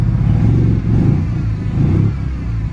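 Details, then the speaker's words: Mazda FD RX-7 rotary, first start after six hours of work, plugs had been fuel-soaked: deep, lumpy idle with uneven surges and dips about every second, misfiring and blowing smoke, probably still a bit flooded. "sounds like it's misfiring a bit though so and it's blowing a fair bit of smoke probably because it's a little bit flooded"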